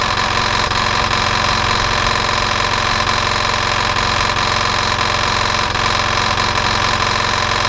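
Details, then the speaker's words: Nearly new replacement engine for a Hayter 48/56 mower, oil just over max: uneven tapping about twice a second under steady idle; internal engine knock, big end bearing suspected, not confirmed. "okay so that's a pity the engine has got a knocking noise to it I'm assuming it's gonna be internal and it's probably that the big end bearing"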